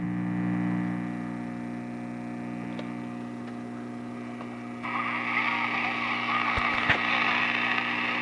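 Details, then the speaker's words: Emerson 8CW-334-2 tube radio on the bench: loud, steady electrical hum with a buzzy edge and constant pitch from the isolation transformer, which vibrates heavily, not from the radio itself; transformer hum from vibration. "that hum is coming from the very act transformer I can I mean the isolation transform I can feel of vibration right here it's pretty heavy"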